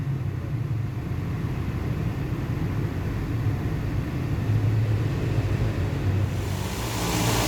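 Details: Toyota Vios Gen 2 after its AC compressor with a broken bearing was replaced and a new belt fitted: an even, low idle hum with no grinding or bearing whine from the front of the engine.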